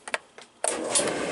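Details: Kenmore series 200 dryer that would not start, after its faulty switch with bad contacts was cleaned and refitted: a couple of switch clicks, then the motor spins up and the drum turns with a smooth whoosh, starting and running normally.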